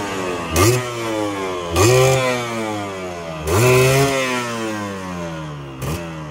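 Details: Yamaha 125Z two-stroke, first run after engine rebuild (damaged conrod addressed, magneto checked), stock exhaust: four crisp throttle blips climbing quickly and falling back cleanly, no rumble on closing; normal running.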